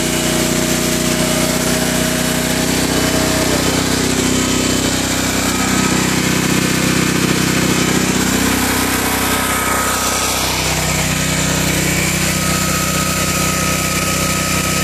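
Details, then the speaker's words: Generac 7000EXL generator converted to tri-fuel, running on propane under about 56–57 A load from heaters and vacuum cleaners. It holds a steady governed drone, pitch dipping briefly then recovering, with no hunting or surging. Runs smoothly under load. "but as you can hear it's running very smooth even at a low idle now if I add turn everything back on both right back up no problem"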